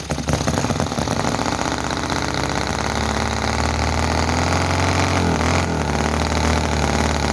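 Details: Petrol model V-twin (Chinese commercial model engine, oil added to crankcase) runs too fast and rough: irregular popping, stumbling beats over a busy rattle, explosions and oil coming out of the engine. Rough running and misfiring, cause not confirmed.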